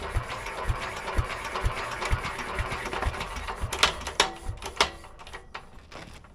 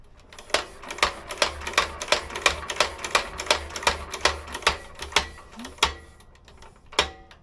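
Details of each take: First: Petter A11 (A1 series 2) single-cylinder stationary engine, stored damp for years, choke on: slow, uneven cranking thumps about two a second with clanks, no firing; fuel supply doubted, cranking without starting. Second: Petter A11 (A1 series 2) vintage stationary engine, long stored damp, points scratched clean: crisp snapping ticks at every flywheel turn, about three a second, steady without gaps; magneto sparking consistently, even above impulse.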